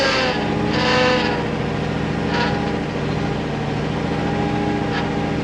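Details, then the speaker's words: Ford F600 dump truck hauling a wet load uphill: deep, strained engine drone staying low and bogged, labouring hard under too much weight, as if destroying something; temperature gauge in the middle. "I mean she'll go but man we we're destroying something"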